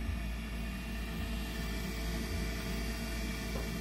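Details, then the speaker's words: HTP UTF 80 boiler combustion fan after repair: steady, smooth quiet whirr; earlier blades hit the housing causing buzzing, fixed by oiling the shaft and recentering via the three motor mounting screws. "I mean it's really quiet it's all put the cover back on"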